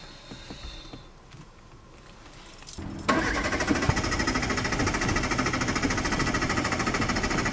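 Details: Daewoo Kalos starter cranking steadily at about 200 beats a minute for an extended time without catching; car won't start.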